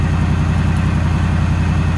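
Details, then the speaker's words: Ford van with the 5.4 modular V8, cold idle just after start-up, with unexplained coolant loss and coolant smoke: a deep idle with a lumpy pulse that drops a beat regularly; owner hears one cylinder missing; cause unconfirmed. "actually no it is missing on one cylinder right now i can hear it"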